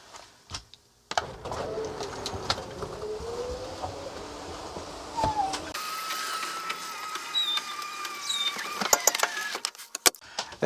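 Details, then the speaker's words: Coachmen Sportscoach 380MBS Class A on Freightliner XC, slide-out that won't retract, after lubrication and motor rest: electric motor whines low and uneven then higher thinner drone, labouring; owner suspects worn-out motor, mechanical or electrical fault. "doesn't sound good I don't know I think we're going to be back up underneath there doing something something mechanical or electrical that maybe that motor is just wor slap out"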